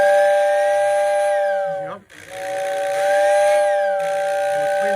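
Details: Two clear, steady whistle blasts with firm, even pitch and clean cutoff from a postwar Lionel whistling tender (paired with 736 Berkshire), serviced on the workbench; whistle works properly.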